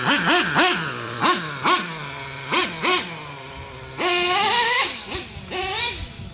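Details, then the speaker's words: Traxxas T-Maxx 3.3 nitro RC truck with OS carb: sharp blip then burbly, slightly uneven low idle loading up; low-speed mixture too rich, needs leaning out. "You can hear it loading up a little bit. Might have to lean out that low end a little more."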